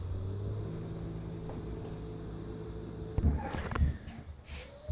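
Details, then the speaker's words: Bosch SHX6 8E05UC/13 dishwasher after reset: steady low pump hum for about three seconds, then clunks and rattles as the cycle quits again; repeated abort, cause not yet found. "red light hear the grind away of that wonderful sump pump cleaning us out"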